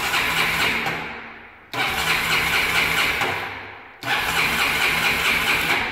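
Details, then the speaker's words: Honda CBF 250 motorcycle, battery already confirmed good: three cranking bursts of about two seconds, steady starter churn that never fires; starter turns the engine but it won't start, fault still being traced. "Pues como habéis oído, el motor de arranque intenta arrancar la moto, pero no es capaz."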